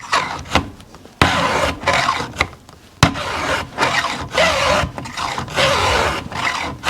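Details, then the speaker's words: Hand-filing a chainsaw chain, file held parallel to the bar at about 30 degrees, brake off: even rasping strokes about twice a second with a light tinkle on the return as the file grabs; normal, no damage. "But it's not cutting and it's not doing any damage, all right? It's just making a little bit of a noise as it grabs."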